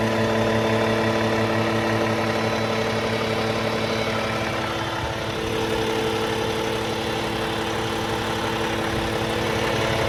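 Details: Cummins ISX15 diesel with upgraded oil pump idling evenly with a steady buzz over the engine note; buzz possibly from the oil pump, unconfirmed.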